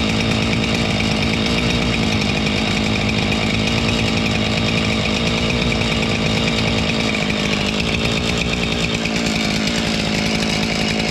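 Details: Husqvarna 576 XTorq chainsaw running after a muffler repair, checked for exhaust leaks: a steady, even buzz with no puffing or ticking from the exhaust, running normally.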